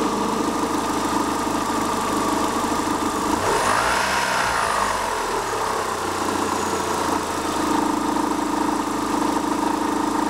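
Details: 2000 Opel Astra G 1.6 16V Ecotec (X16XEL) petrol after a new cambelt, tensioner, idlers and water pump: a low, uneven rattling rumble at idle and below 1200 rpm, gone above. It persists with the auxiliary belt and intake removed, and the source is unknown.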